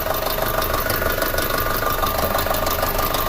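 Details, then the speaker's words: 2006 Audi A4 2.0T, long-sitting, codes P0300/P0303 (cylinder 3 misfire): rough, uneven idle with a hard, distinct metal-on-metal tapping about three knocks a second, heard with hood open; injector or cam issues suspected. "Look at that, Misfire in cylinder 3. I don't know if you guys can hear this. We'll come up here, we'll see if we can hear it. But it sounds horrible."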